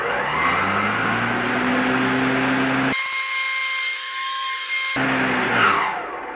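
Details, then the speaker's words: Greenworks 60V 25-inch mower: the blade whine climbs to a steady high whir, and the automatic blade brake stops it within about a second of releasing the handle. Normal. "it sounds like it has an automatic brake on the blade which is nice too so it's completely stopped within about a second of releasing the handle"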